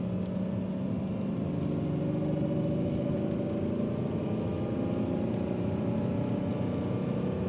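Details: Subaru EZ30 petrol engine held around 2500 rpm with a faint repetitive knock under the hum and light rain noise; owner hopes it's not a bearing, cause not confirmed.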